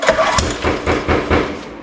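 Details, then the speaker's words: Neglected John Deere tiller engine pulled over by hand with a little oil added for the rings and a finger over the spark plug hole: even, sharp hissing puffs about twice a second, good compression. "you hear that hissing sound it's got good compression yeah it's got really good compression so I'm happy about that"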